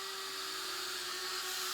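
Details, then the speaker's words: Arrma Kraton 6S V5 RC car with two newly installed Power Hobby cooling fans powered up: quiet, steady high whir at constant pitch with no rattle or wobble; both fans running normally. "Alright, 2 fans, guys. You guys can hear them."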